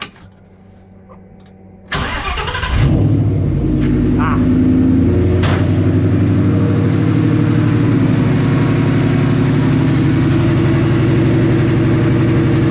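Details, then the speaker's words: Mustang in neutral, idling then revved: thin high squeal from the front accessory drive that worsens with engine speed; either the belt or a pulley suspected, not confirmed. Squeal goes away after driving a while; owner wonders if cold-related. "so that's problem number one there is a either it's the belt or it's a pulley that is squeaking and screeching for its life and it only gets worse as you rev the engine up"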